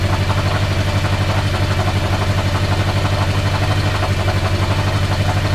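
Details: 34-year-old motorcycle idling after replacing the whole wiring harness with homemade new wires and connectors; even steady thump about four beats a second with light valve chatter; starts and runs smoothly.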